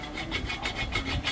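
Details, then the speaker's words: Dry, gritty rasping pulsing as a removed transmission bearing is spun by hand from a Mazda BT50 Pro manual gearbox; the small lower countershaft support bearing is broken, blamed on wrong-grade gear oil, fixed by replacing bearings and 75W-85 oil. "ยินนะเสียงชัดเจนนะนี่ตัวนี้ตัวนี้ที่แตกชัดเจนเลยอ่าก็คือลูกปืนเพลาประคองเพาราวเกียร์มันแตกนะ"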